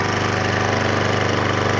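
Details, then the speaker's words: Troy-Bilt Professional pressure washer, first run after the repair, quiet-design muffler: fast, even single-cylinder putter with a steady beat, no misses or metallic knocking. Running smoothly. "Wow listen how good it sounds first is like a kitten then it's not very loud actually"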